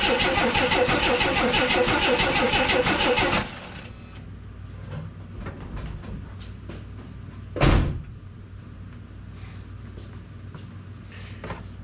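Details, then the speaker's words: Engine cranks steadily but never fires during a fuel pump check after the exhaust manifold was resealed; no fuel seen spurting into the test bottle. Owner suspects the small inline filter or the fuel line from the tank. "well ain't that a revolting development i didn't see anything did you pretty sure i cranked it long enough it should have got fuel up there so i'm very surprised at that very surprised"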